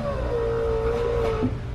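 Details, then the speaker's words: Honda Civic EG, long-sitting, on fresh gas: the fuel pump primes with a steady whine near 500 Hz that holds then fades slightly as pressure builds to maximum; healthy pump. "And we're building fuel pressure. Let's go check the gauge real quick. Let's just confirm it, but I can hear it by the pump. It's definitely straining."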